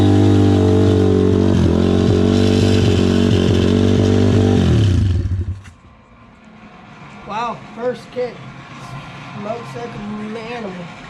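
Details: SSR/Pitster Pro single-cylinder pit bike before teardown, good compression: kick-started, catches at once and runs a steady even fast idle with no clanking before shutting off; heater rattling in background; normal running.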